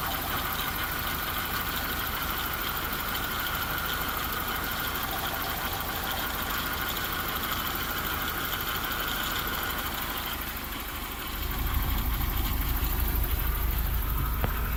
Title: 1987 Toyota Van Engine Idling (Diagnostic Video - Strange Noises)